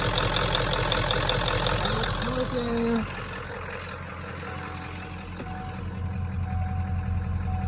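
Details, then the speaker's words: 1996 Ford F-250 7.3L diesel, after the burned, stuck-closed glow plug relay trouble. Steady idle with an even low clatter of about 160 beats a minute; runs normally and charges better than before, and the owner notes there was no glow plug light on the ride up. "Charging better than it was."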